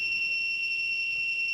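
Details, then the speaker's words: Zosi CCTV recorder just powered on with no cameras connected: red power light but no VGA output, and a steady, piercing high-pitched buzz that never changes. Cause was a blown filter capacitor in the power supply: failed power supply capacitor. "red light comes on there power lights you just get a buzzing noise it doesn't do anything else"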